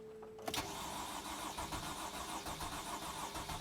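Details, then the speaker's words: 2008 Freightliner Sprinter 3.0 L diesel van with code P0335: starter cranks the engine steadily and freely but it never fires or catches, a crank-no-start condition confirmed with key on. "as you guys can hear the van is cranking but it doesn't start let's try that one more time so key is on so now let's crank it i hope you guys can hear the engine cranking the engine cranks but it doesn't start"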